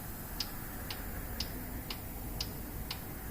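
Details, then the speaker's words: 2015 Kia Sorento 2.4 with P0011 code: sharp, even clicks about twice a second over a steady engine hum, the sticking cam oil control valve cycling on command after being tapped. "we don't hear any more clicking there it goes it started clicking you hear it"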